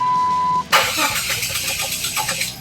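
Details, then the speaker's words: 2001 Jeep Wrangler TJ 4.0L Sport with a cooling system problem, shut off after running hot about a minute: short beep, then the starter churns in a quick rhythmic pulse but never catches; crank no start, owner plans to replace thermostat, gasket and temp sensor. "But then I tried to turn it on and it will not turn on. Right now, look. Actually, it won't turn on now."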